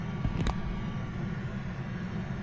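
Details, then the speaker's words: Planar Autoterm 2kW diesel heater newly installed in ambulance, first run after priming fuel system: soft steady low drone like a distant airplane, no popping or surging, no smoke; normal quiet running. "No smoke. Nice and quiet. You hear it? Sounds like an airplane. It's burning really well."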